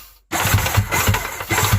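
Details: Yamaha Waverunner XL800 two-stroke engine during removal, cranked on the starter: uneven thumping knocks about three or four per second over the starter whir. The owner suspects a loose connecting rod in the back cylinder.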